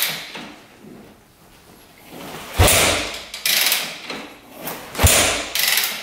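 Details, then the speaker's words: Rebuilt 2001 Yamaha WR250F dirt bike, confirmed good spark and fuel: heavy kick-over thumps with no firing, won't start; feels like good compression (hard to kick without decompressor), owner worried rebuilt valves aren't seating. "NADA I'm a little worried about those valves seting huh feels like it has good compression"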